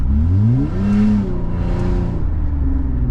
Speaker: Sounds like a beast, but it's really a rusted out exhaust part that I gotta replace.